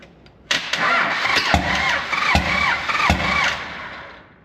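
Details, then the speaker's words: 24-valve P-pump Cummins swapped into a 1968 Dodge W200, first start on temporary fuel and ignition: a sharp regular pop about every 0.75 s over a rough run; first thought piston slap, likely a pressure pop from a missing exhaust valve bridge. "So, obviously that's not a very good sound. Um, I kind of thought it was piston slap at first, but I got a second opinion. Um, because it's kind of hard to hear it and while starting it. So, uh, I got a second opinion and we think it was actually a pressure pop."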